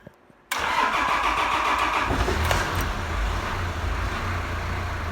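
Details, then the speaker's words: 1983 Toyota BJ42 with 3B mechanical diesel and weak battery, after EDIC stop-motor repair; short crank, then it catches cleanly into a steady, clattery diesel idle, normal start. "There you are, it's running. You can hear it running."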